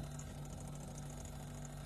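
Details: Single-door refrigerator serviced for not cooling at all: steady, quiet low hum running evenly with no clicking or cutting out, refrigerant flow audible and evaporator turning cold; compressor running normally.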